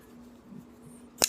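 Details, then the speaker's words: Folding knife with ceramic detent and ceramic bearings: single crisp click as the blade swings open and locks, no grit or hesitation; smooth healthy opening action. "It's got ceramic bearings. It's incredibly smooth. It has a ceramic detent and ceramic bearings, and the only knife that I've got that is as smooth currently as this is my NTAC."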